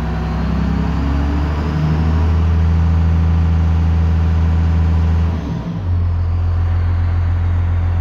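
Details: 1998 Dodge Ram 5.9L 24-valve Cummins with VP44, after a crank-no-start fixed by a rebuilt ECM, warmed up: diesel settles to a steady, even idle with one brief dip near the end; no misses or knocks, runs healthy.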